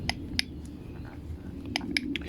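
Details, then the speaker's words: Homelite Mighty Lite HBL26YBN blower, good compression, engine not running: five or so sharp dry uneven clicks as primer bulb is pushed, caused by a hardened, stiff carburetor metering diaphragm; carburetor replaced. "that is because of the diaphragm is on the metering is already hardened and stiff and that's behind this assembly here so that's obviously the engine won't run"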